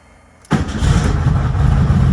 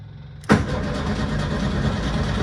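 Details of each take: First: 1972 VW Super Beetle with a week of battery problems, now restarting after a drive for breakfast: it catches straight away without pumping the gas and settles into a steady, even idle. Healthy start. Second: 1972 VW Super Beetle, parked a week after repeated battery problems and kept on a trickle charger: steady starter cranking with a loud, noisy fuel pump buzz underneath. It cranks but won't fire. Owner suspects no spark or the still-connected trickle charger.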